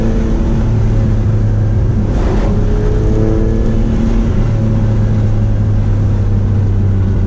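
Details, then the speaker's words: Mitsubishi 3000GT VR4 at full throttle: steady low drone with brief roughness, breaking up around 3000 rpm, fine by about 3500; owner suspects plugs, already replaced plugs and wires once for same issue. "Breaking up, right there it goes. As soon as it gets to like 35, it's fine."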